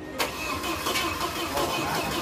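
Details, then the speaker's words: Opel/Chevrolet Blazer "Black Dog" just after engine reinstall, with power steering pump, AC compressor and wiring fitted: a quick crank catches almost at once and settles into an even, steady run with no knocking; a healthy first start. "Kita masuk proses running. Wih, berhasil teman-teman."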